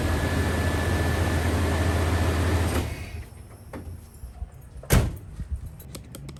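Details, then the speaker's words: 1995 Chevy G20 van, 350 5.7L, just fitted with a new Duralast starter: starter spins with a strong, even whir for nearly three seconds, then cuts off cleanly; normal cranking. "well guys that sounded like success to me the starter sounded great"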